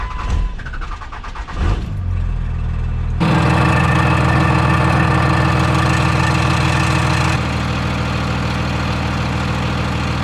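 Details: Dodge Cummins diesel truck starter: a few light clicks, then a loud steady whirring grind that keeps running on. It has been clicking for a while; worn starter drive teeth not engaging cleanly, starter to be replaced.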